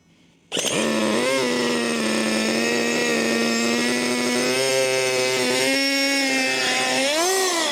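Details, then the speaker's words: HPI Racing MT2 4WD nitro RC truck, bought used and primed: high buzzing engine scream with rev blips and wavering pitch, running slightly rough; owner suspects it is a bit clogged from not running for a while. "Well, I'm going to go with the fact that it's just not been up and running for a while. It's starting okay. A bit clogged."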